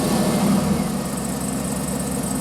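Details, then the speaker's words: 2008 Cadillac Escalade V8 with intermittent crank-no-start suspected from sticking purge valve: catches straight away, flares briefly, settles to steady even idle; normal quick start. "that was a normal fire up, so it didn't get stuck."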